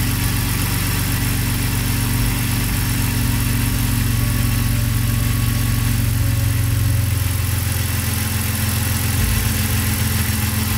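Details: BMW (E60 M54 / E53 M62) with LPG (Stag) system and sporadic misfire traced to poor contact at the original Stag plug; idle after ensuring good contact, deep even throb with no stumbles or missed beats: normal idle.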